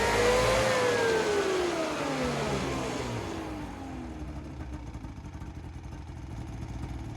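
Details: Ski-Doo Rev-chassis two-stroke snowmobile after fresh fuel with XPS Carbon Free additive and new oil: revs up crisp then settles to steady idle, no misfire or rattle; normal running.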